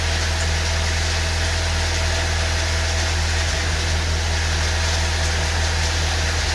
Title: First start after exhaust valve replacement Saab 9.3 2.0T 2006 b207r